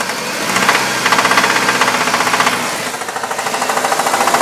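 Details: 1998 Dodge Neon with sharp, fast, rough metallic internal engine knocking about four per second.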